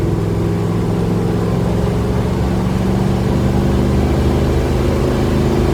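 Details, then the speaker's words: Old Dodge Charger, 318 V8, column shifter, just fitted with a new Amazon carburetor, plugs and air filter, warmed up and under hard throttle toward 70: strong, even engine roar over road rumble, no stumbling or misfire. It pulls cleanly. "seems to be going pretty good do a 70 right now not bad"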